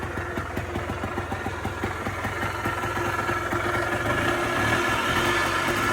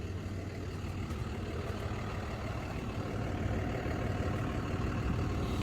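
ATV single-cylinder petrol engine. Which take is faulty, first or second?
second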